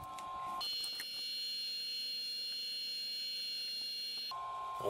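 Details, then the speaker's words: 1989 Zenith Data Systems SupersPORT laptop on a 12 V bench supply, microphone held up to the hard drive: thin, steady high whine holds level with no clicking or grinding as the drive spins; normal hard drive spin. "wow it's got a hard drive in there i can certainly hear it spinning i put the mic up to it"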